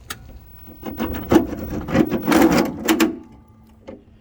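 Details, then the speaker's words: 2010 John Deere Gator electric (about 3,604 hours, eight 6V batteries, smoke seen from the drive) put in forward gear: irregular clunks and rattling bursts; it won't roll in reverse. The drive system needs repairs. "gives you an idea what it sounds like i'm gonna put it in reverse"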